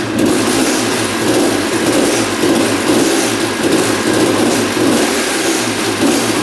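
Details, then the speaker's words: 1989 Honda CR250 two-stroke that had been sitting, first start after carb cleaning: buzzing fast idle with a loose, pulsing rattle from the lower engine; engine seen moving in frame, loose engine mounts suspected, source not pinned down. "woohoo she fired up I can definitely hear what he's talking about there's definitely a rattle down there we'll have to investigate that"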